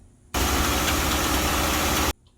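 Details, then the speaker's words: Corvette Z06 V8 idle: loud rough rumble with hard knocking underneath; engine knock, source (bearing, piston or lifter) not determined. "oh this is not a knock knock joke you've got some engine knock"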